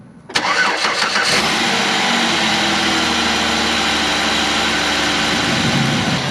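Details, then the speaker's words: 2008 Chevy Equinox 3400 engine, cold first start after head gasket replacement with fresh oil and coolant: brief crank, catches immediately, settles into steady even idle, zero hesitation, no smoke; normal cold start before warm-up. "zero hesitation no smoke out the back now I just let her sit here and get hot"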